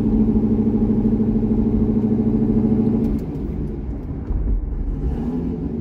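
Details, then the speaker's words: C6 Corvette V8 with aggressive cam and long-tube headers, on a revised HP Tuners idle tune (about 80% done): deep, steady burble with even pulses, then a smooth, lighter settle at part throttle, no stumble. Normal idle and running. "Well, that went a heck of a lot better. And as you just saw, with a few targeted adjustments to the C6's tune, it actually has pretty decent street manners."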